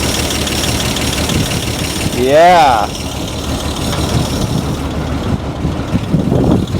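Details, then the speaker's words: 1949 Dodge flathead six abandoned for decades, revived in the field without new parts after pulling the heads, belts and cooling not hooked up: steady even idle, no tapping or knocking; engine sounds healthy. "she idles good look at how sweet that is I don't hear no noises"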